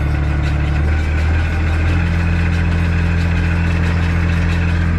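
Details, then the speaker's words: MF 3690 tractor driving a McHale Fusion 2 baler, baler just switched on before baling heavy dense grass: deep even drone with steady low pulse, no knocks, rattles or squeals; driveline runs very smooth. "Sounds very, very, very smooth, that. I'm happy with that, and away we go."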